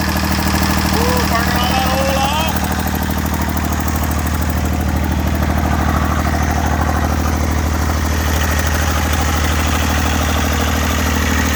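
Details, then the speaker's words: Massey Ferguson 35 three-cylinder diesel, sat in woods 20+ years with engine frozen from water, first run after freeing it: steady, even low chug with no misses or knocks; fuel leak noted, burning off oil, idling smoothly. "I got a lot of fuel leak motor sounds good I don't have any water in so I got to shut it off here thing"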